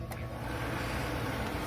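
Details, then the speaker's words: Whitfield Quest Plus FS pellet stove, with the on-off fan switched on once the fire is going. A constant low airy hum and steady rush of hot air with no rattles or scraping. Normal fan running. "you just leave the fan on after you've got the stuff going so you're gonna hear this - when I turn it on"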